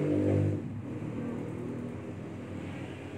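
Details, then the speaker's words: Old Toyota Corolla with a newly replaced AC compressor, engine raised to 1800 rpm: an even, steady drone with no knock or squeal. The evaporator pipe is sweating and the vent thermometer reads 0°C; the compressor sounds healthy. "Kemudian kita lihat lagi, kita tingkatkan menuju 1800 RPM untuk mesinnya."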